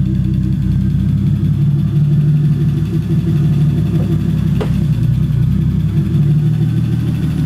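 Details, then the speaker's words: 1985 BMW E30 with 2.5L M50NV turbo swap (Holset HX35, Megasquirt 2, 750cc injectors, TiAL wastegate), revived after four years: smooth steady idle that stabilizes as coolant temperature rises, with a couple of clean throttle blips; normal running. "you see as the cool on temperature comes up it idle is a little bit more stable"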